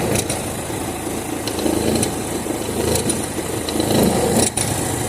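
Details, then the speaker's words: Chevrolet Zafira after AC compressor coil replacement, pulley bearing OK; uneven rattly chatter over idle that stops when the tensioner is assisted with a wrench, tensioner not tensioning the belt correctly: belt tensioner noise. "ele não está tendo a função dele de tensionar a correia corretamente."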